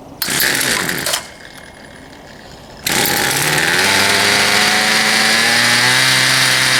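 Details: Poulan Pro 222 38cc chainsaw after the fuel lines were re-routed correctly and a new air filter fitted, started from choke: it pulls over, fires and revs up into a steady, even high buzz without stumbling. It now runs properly.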